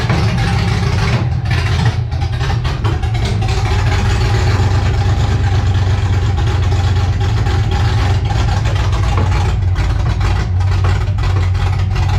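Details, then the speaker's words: 1984 Cutlass G-body, procharged LS swap on Holley Terminator X EFI, throttle cracked open with bigger screw: loud deep V8 idle lopes and wavers unevenly, rich-sounding with eye-burning exhaust; runs somewhat better but needs tuning. "Yeah, this thing needs to be gone through, man, and check everything, because it just needs to be tuned at this point."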